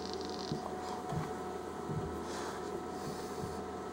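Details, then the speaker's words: Smokeless Image Volt X2 Auto battery with CE/Nano clearomizer: soft irregular pops and crackles every half second to second while puffing, with juice coming up the tube; owner unsure whether it is starving for juice or flooding. "Can you hear that popping this thing? It's I don't know if that's because it's starving for juice or if it's flooding or what."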